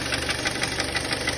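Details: Kia Sportage 2.0-litre at idle after cleaning the camshaft phase sensors, which were suspected as the knock source; sharp light tapping about six times a second over steady idle remains; engine knock at idle, cause unconfirmed.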